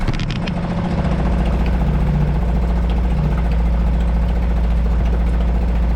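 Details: Suzuki 2.5 HP DF four-stroke outboard in a water bucket, oil hovering at lower sight-glass mark after a low-oil-sensor no-start: settles into an even, low chugging idle about three and a half beats a second, steady and smooth; healthy.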